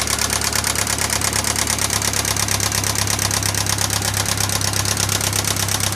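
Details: 1996 Pontiac Sunfire 2.4L idling with a fast, even, light top-end tick; persists after head and valves were restored and lifters replaced, cause still unidentified after three months of work.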